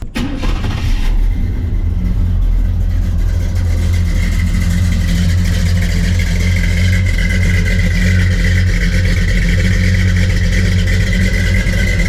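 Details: V8 used for comparison: catches and settles into a deep, steady, even idle with a lopey exhaust burble; runs clean.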